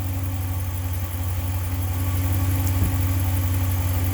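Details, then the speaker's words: 2014 Dodge Ram 1500 5.7 Hemi V8 just after an oil change, first start: deep, even burble with no ticking or knocking, dropping out of high idle as oil circulates; normal idle. "no we had noises nothing yeah no no no dry sounds like it was running dry sounds good just came out of its high idle"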